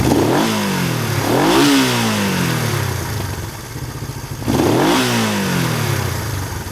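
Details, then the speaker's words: Honda 350 twin motorcycle after throttle cable adjustment, carburetor synchronization and idle mixture/speed tuning; revs up smoothly three times and settles cleanly, no pops, misses or stumbles. "Doesn't pop or miss. I'm pretty happy with that. That doesn't sound too bad."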